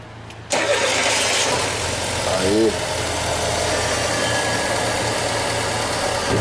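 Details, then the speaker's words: Fiat Palio at about 99,624 km, after timing belt replacement (Daico belt) for a belt noise complaint: engine fires right up and settles to a smooth, steady idle with no whine or rattle from the belt area. "Zero barulho."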